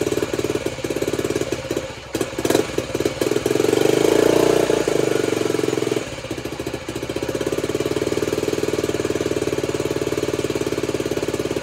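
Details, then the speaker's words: Honda CT90 restored with stock engine and new wiring harness, first kick start: even quick putter at idle, short rev, then steady smooth tickover; healthy idle. "Idle's nice. Oh yeah. She's ready."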